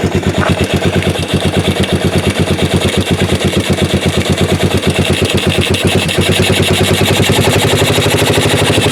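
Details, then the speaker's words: 1988 Yamaha Moto 4 ATV rescued from a field, running again and a little smoky. Loud, even thumping at about two pulses a second, no knocking or misses; judged a little lean but sounding good. Normal running. "yeah it's a little lean nothing wrong with that and that sounds pretty good actually"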